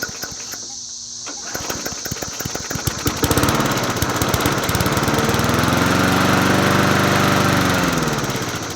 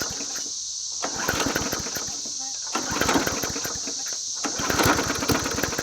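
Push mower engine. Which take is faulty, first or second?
second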